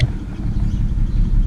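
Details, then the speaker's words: 2008 BMW 335xi coupe, morning idle: low idle that surges and dips with an uneven beat, worse than usual. Misfire reported on coils 4 and 6, with the check engine light on. "well clearly you know it's doing it right now normally when I wake up for work in the morning it never is this bad but for some reason this morning it's actually worse than I've ever been you know it's actually jumping all over the place"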